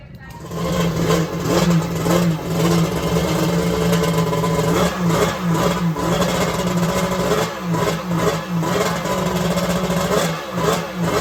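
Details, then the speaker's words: Two-stroke (1100 or X2) with unsolved starting trouble, warm after a few minutes' running: ragged uneven revving with sharp irregular pops, struggling to run cleanly; owner guesses the base was full of junk; backfiring. "oh my god i don't know what the deal is with the backfiring it must just be because the base was full of junk or something"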